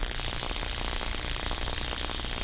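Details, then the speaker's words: Electrical connection heard through an ultrasound detector: a constant frying crackle and hiss with a faint buzz. Corona, an early sign of the connection starting to fail as the air gap breaks down. "And what the corona is is basically the start the connection starting to fail. Um the air gap starts to break down."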